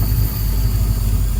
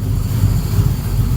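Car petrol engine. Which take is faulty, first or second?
second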